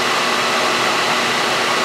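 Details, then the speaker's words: 2008 Saab 9-3 overheating with the temp gauge near 3/4, during a Tech 2 fan test: loud, steady rushing air at high speed; the relay clicks, speed one doesn't work, speed two works, speed three brings no change. "The test on the fan failed because speed number one isn't working on the on the fan. The fan is working but speed number one is not working and speed number three didn't change."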